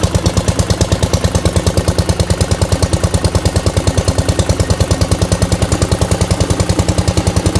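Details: 1971 Gravely 430 with Onan NB twin, after a Chrysler ignition module fixed weak spark: a steady, even thump at a regular pace with no misses or stumbles; running clean and healthy.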